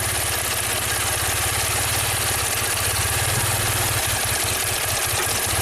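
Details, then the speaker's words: 2016 Maserati Ghibli Q4 twin-turbo V6, 60k miles, misfiring, timing codes: lumpy uneven low idle thumping with limping beat; running about the same with bank 1 unplugged, possible slight drop unplugging coil 6; one whole bank dead, engine suspected out of time. "By the way, if I unplug coil number 6, is there a drop? I guess so. It runs about the same with this bank completely unplugged."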